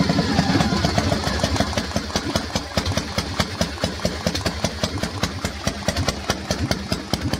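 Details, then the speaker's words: Warm Harley-Davidson Panhead V-twin with distributor and advance fitted, idling with a loud, loping, uneven potato-potato beat like an old agricultural implement; the tapping heard is the carburetor slide. Normal idle. "some say this is the best sounding engine of all on harley-davidson and i can quite agree with them box along like an old agricultural implement"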